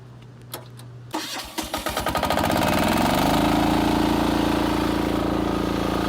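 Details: Yanmar diesel engine on a 3000 PSI, 1125-litre highway pressure washer, key start with fuel on: starter spins briefly, catches within a second, smooth even run with no knocks; normal start and idle.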